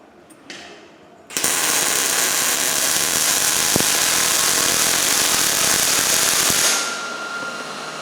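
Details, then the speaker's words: New Miller Millermatic 211 MIG welder on steel about 1/8 inch thick, with the voltage set too low and the wire speed too slow: a crackling, hissing arc with an uneven stutter instead of a smooth sizzle; the weld is skipping with poor penetration. "you probably heard your well they're just skipping there a little bit"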